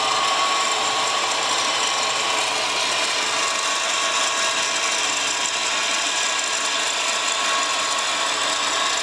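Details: Subaru WRX GDB running: constant raspy chatter with a thin squeal over the engine; strange noise traced to a worn A/C idler pulley bearing.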